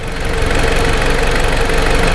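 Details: 2010 Jeep Patriot with a hard-to-find intermittent crank-signal problem, after cleaning all grounds; steady, even idle rumble with a smooth rhythm and no misses, stumbles or knocks; normal idle.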